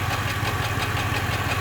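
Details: Chevrolet Impala SS petrol engine idling with deep uneven lumpy beat and visible shaking, misfire, with Service StabiliTrak and traction control warnings.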